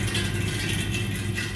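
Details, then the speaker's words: Radiator in a converted barn while the boiler fires: constant rushing-water noise with a low rumble and light metallic rattle. It stops only when the boiler stops; the radiator was already bled. A large airlock in the pipework is suspected. "that noise stays all the time only stops when the boiler stops [Music] firing as I said it sounds like the water's running through"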